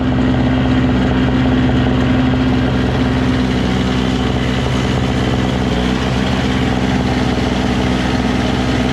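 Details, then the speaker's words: Single-stage two-stroke snow blower: a continuous, even buzz at steady speed with no misses or surging; the auger drive was briefly hung up and now stops when the handle is released and starts when engaged. Normal running. "works so it works just fine it was just hung up for a second you know but then when you once you loosens up it stops when you uh disengage the handle and it starts when you engage the handle"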